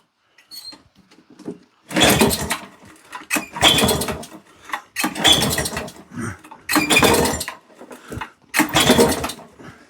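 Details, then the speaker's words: American-spec Flymo mower with Suzuki two-stroke engine, old auction find, choke on, cold start attempt: five hard pull-start cranks, each dying immediately, never catches; owner thinks it fired once and suspects the carburettor, to be removed. No-start, cranking only. "No. No. Right. I didn't think we'd get that lucky with this one. I think we've got to take this carb off."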